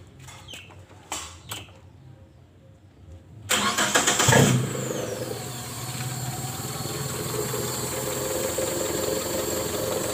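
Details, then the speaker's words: Mitsubishi Colt T120SS after refitting the throttle body, high idle blamed on a worn air valve: a few clicks, fires, flares briefly, settles to steady even idle without hunting; idle rpm now stable, normal. "seperti ini sobat ya Jadi sekarang rpm nya sudah stabil"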